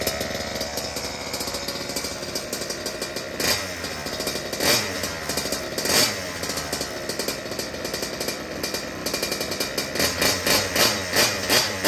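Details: Restored Goped Sport with brand-new Zenoah G320 two-stroke engine, just fueled and primed: high buzzy rattle catches, then regular revving blips about three a second; fresh engine runs cleanly.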